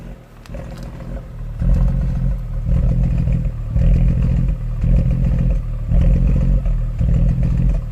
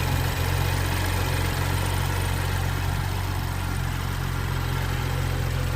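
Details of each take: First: 2013 BMW 135i F20 N55 with Valvetronic fault codes, during diagnostic Valvetronic lift adaptation (450 cycles), heard from exhaust: idle surging slowly about once a second, lumpy like a misfire; uneven idle from valve lift cycling. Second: 2013 BMW F20 135i with N55 engine at warm idle, brought in for smoking and misfiring. No misfire was found, but the ECU logged Valvetronic faults. Slightly uneven, lumpy low beat at about three pulses a second: rough idle from worn Valvetronic gears.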